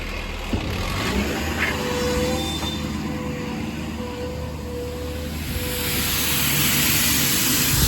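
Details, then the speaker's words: 2011 Ford F550 service truck at 111,267 miles, running with the air compressor kicked on: faint steady tone with a rising airy hiss as air escapes a compressor hose, to be cut and fixed. "Hear that thing putting out air. We'll cut that hose and fix that before the truck is delivered."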